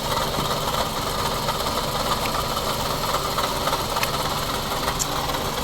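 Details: 2007 Scion tC, 5-speed manual, customer complains of clicking and ticking; listened close to the back of the water pump at idle: constant grinding whirr with uneven rattle; water pump bearing suspected; water pump bearing noise.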